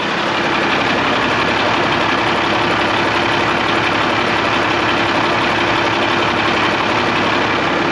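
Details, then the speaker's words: 1986 International dump truck, L10 Cummins diesel, key on, override thumb screw backed out: steady even diesel clatter at idle over eight seconds, engine stays running; owner suspects voltage delivery problem rather than the fuel shutoff solenoid itself. "the thumb screws out now but the truck's still running so what i'm thinking is what i'm thinking is it's a it's a delivery issue or not having enough"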